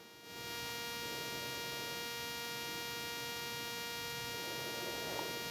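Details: Rode Wireless Go 2 receiver in Sony camera hot shoe, flat cable wrapped in foil: steady buzzing hum with tight stack of even tones, unchanged; electrical hum/buzz interference, source unclear.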